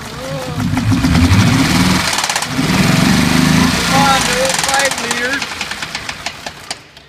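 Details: Ford F-150 5.0 Coyote V8 idles with a steady, deep knock about four times a second; a rod was bent after hydrolocking in a water crossing.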